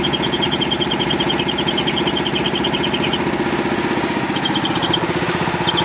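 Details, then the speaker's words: Pluk-O-Trak orchard vehicle, engine running near the alternator-driven V-belt: steady run with fast regular chatter and a high chirping squeal coming and going; owner suspects a slipping V-belt, not confirmed. "dieses geräusch enten keilriemen wird sein dass wir sicher stark danach anders etwas rutscht hier"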